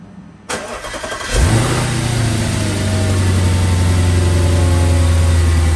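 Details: 2008 Audi S5 4.2 V8 after new spark plugs, ignition coils, MAF cleaning, with race pipes and tune, camera in front of engine: cranks briefly, catches cleanly, settles into steady even low rumble, no ticks or misses; normal idle.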